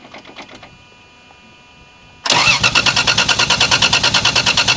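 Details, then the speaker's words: 1987 Toyota Supra with 2JZ-GE engine, T70 turbo added, after sitting two years; starter churns steadily about three turns a second but never catches; crank no-start from fuel starvation, five of six injectors dry and not firing. "The reason this thing wouldn't start, it seemed like it wasn't getting enough fuel. So, I pulled these injectors out. Five out of the six were dry."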